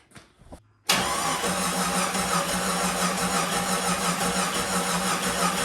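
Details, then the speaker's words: Jeep Cherokee XJ 4.0 after motor swap, first start attempt in new engine: even, rhythmic cranking about three beats a second with no firing because the ignition coil was left uninstalled; crank no-start, no spark. "So, let's get the coil back installed so that way we have spark. And maybe it'll actually start next time."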